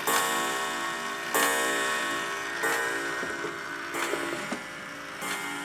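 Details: Antique Sessions clock movement, reassembled after strike-train lever repair and J-hook adjustment: final test, steady ticking, then a clear ringing gong stroke about every 1.3 seconds for the hour; the strike sounds even and healthy.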